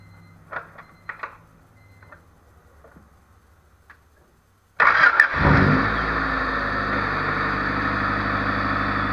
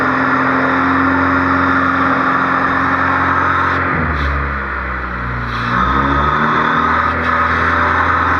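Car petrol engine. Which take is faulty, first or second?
second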